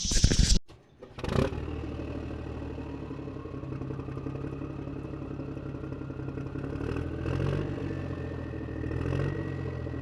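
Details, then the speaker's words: 1998 Buick Century after replacing leaking lower intake gaskets (coolant in oil) and refilling fresh fluids: brief start-up then steady, even idle with low hum, no knocks or misses. "now that all the fluids are in it it's time to fire it up and she purred like a kid"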